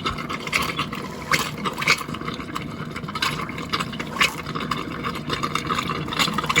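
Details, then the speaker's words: RV water pump during winterizing, pushing water through lines with air: pump buzz under irregular hissing spurts and sputters as air blows out the opened faucet; normal air purge. "Right now, there's a whole bunch of air in the lines, so it's going to keep running until I open up the valve and then let it run. And it's going to clear all that air"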